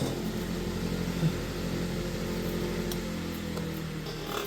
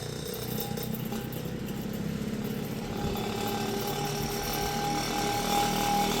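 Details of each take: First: Vintage Kenmore electric fan: shakes and makes odd noises spinning up, then once at speed a steady low motor hum with smooth even whir and no rattle; normal running. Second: Vintage Kenmore fan, first power-up after purchase, before repair: rising motor hum under a continuous rattling buzz while spinning up, shaking noticeably; vibration and odd noises stop once at full speed, which is fast.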